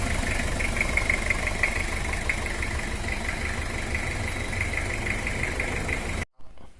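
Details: Toyota Kijang diesel 2L engine burning heavy oil, rough idle with a sharp "duk duk" tick about three times a second, attributed to worn camshaft and valve clearance, plus worn cylinder liner bore; engine to be removed for overhaul.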